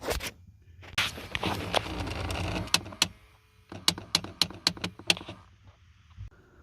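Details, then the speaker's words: 2005 Nissan Titan 5.6-litre V8 with sharp plastic clicking and slapping from under the driver's side dash when the AC knob is turned. A faulty blend door actuator was replaced. "There's another one that's the making noise. I will put my camera closer, somehow we can see where is located, and I will spin that knob. You will see how it's making noise."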